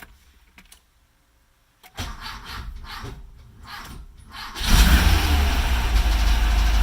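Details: Hard starting: the starter cranks steadily for nearly three seconds before the engine catches and settles into a rough idle. A starter relay is suspected but not confirmed.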